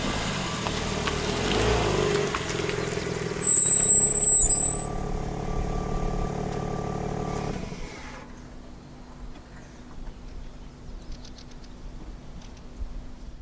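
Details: BMW M3 (G80) under a year old with M Compound brakes and mild driving; sharp high-pitched squeal for about a second while slowing, which BMW called normal though another dealer later authorized warranty repair.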